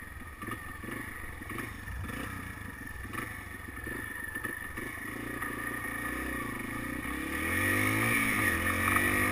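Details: Yamaha BW200 single-cylinder idling: quick, regular metallic clatter riding on each beat, growing as revs rise; engine rattle of unknown source.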